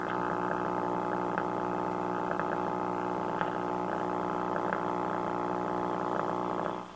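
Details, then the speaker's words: 1951 RCA Victor 1-X-51 AM tube radio on the bench: steady buzzy layered hum at the speaker throughout; suspected disconnected filter capacitor, not confirmed. "wonder if it's because the fil the uh death capacitor didn't hooked [Music] up I don't know sure sounds like a passor is not where it's supposed to be"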